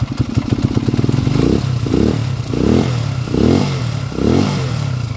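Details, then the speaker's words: Honda TMX155 single-cylinder being converted to 200cc, hard to start, on temporary tune-up: revs in uneven bursts, stumbling and clattering on each blip instead of climbing cleanly; carburetor badly worn and overworked, causing rough running. "Pangit yung carbs nito mga bossing. Yung carburetor nito masyado nang gastado, masyado nang napahirapan mga bossing."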